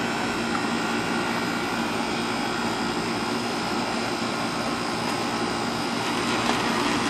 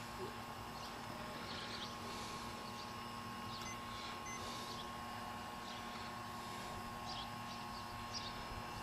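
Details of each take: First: AC outdoor unit after replacing a bulged run capacitor and the contactor; fan and compressor previously would not start: steady even condenser fan whoosh over smooth compressor hum, no clicking or buzzing. Running normally; the capacitor was bad. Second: Air conditioner condenser fan motor energized but not spinning: faint steady electrical hum with no fan whoosh building; capacitor almost certainly bad, replaced along with the contactor (the contactor as preventive maintenance).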